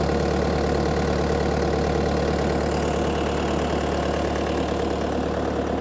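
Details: Bobcat T300 skid steer bought used, first start before pulling into the shop, hydraulic issues still unresolved: steady even diesel idle with constant pace, no misses, knocks or surging; engine runs healthy.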